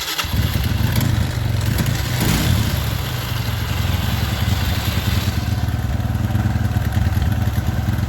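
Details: Kawasaki ZX motorcycle that won't idle down even when the idle screw is adjusted: engine catches after a brief crank and settles into a fairly high, steady run that never drops to a slow idle; high idle.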